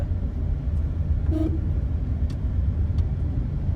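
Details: GLi after workshop repair of noisy tappets: low, steady idle rumble with no tapping or ticking from the top end; engine settles and runs smoothly.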